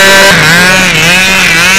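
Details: Control-line model plane engine at a windy 2000 contest: a high-pitched buzz that wavers and sags in pitch and never settles to a clean note. It is running unevenly, possibly getting air mixed with its fuel; cause unconfirmed.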